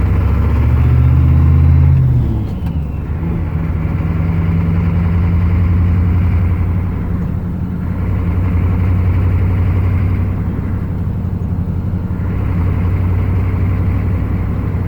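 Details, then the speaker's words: 1995 Chevy 6.5 turbo diesel, 3/4 ton, with rebuilt DB2831-4911 injection pump after DB2 swap, warmed up, stopping at a sign: hard diesel clatter over idle with swelling and sagging, knock and surge, shudder around 1500 rpm. "You can probably hear the knock now, it's much more pronounced."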